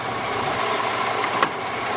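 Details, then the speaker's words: 2003 Jeep Liberty Sport with battery light on, throttle raised to warm it up: a steady high-pitched whine over the running engine, pitch holding; battery voltage dropping. Alternator whine, failing to charge. "I'm trying to bring up the throttle, I'm trying to get this thing warm. That thing is definitely whining."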